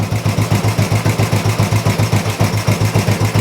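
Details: Old Royal Enfield 350 single after long storage and carb work, not yet fully warmed up: even, steady thump about four beats a second, no misses or knocks; engine sounds really sweet, normal healthy idle.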